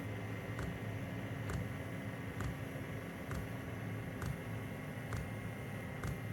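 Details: Diesel heater running on low setting: soft steady hum with a faint regular pump tick about once a second, even and unchanging; normal quiet operation.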